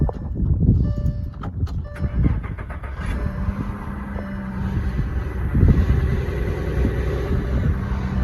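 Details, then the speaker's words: 2007 VW Touareg 3.6 VR6 after intake manifold gasket, injector O-ring and fuel rail repair: brief crank, catches, settles into smooth low steady idle, earlier noises gone; healthy cold start. "there's our cold start on the Volkswagen so so far that's four rig VR V6 is uh been doing good and running smooth oh noises are gone"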